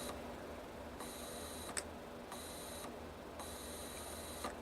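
Faint steady high whine that cuts in and out with small clicks; energized stepper motor holding normally, switching on and off.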